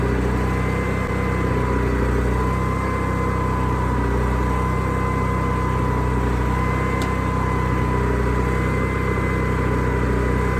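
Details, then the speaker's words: Onan generator after adding an inline fuel filter, started with the side cover on, which makes it quieter. A smooth, even drone at constant speed with a steady hum and no misses or surging: it runs healthy. "all right let's start it up and then notice how much quieter this is when I put this side cover on"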